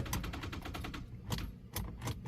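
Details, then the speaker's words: 2013 Ford Edge with oil leak and suspected parasitic draw, battery charged one to two minutes on 50 A charger: rapid dry clicking then scattered single clicks, engine never turns over; starter clicking, no crank from weak battery. "All right, we've been having to go for about a minute or two on the 50 amp. I doubt it's gonna be enough to crank it."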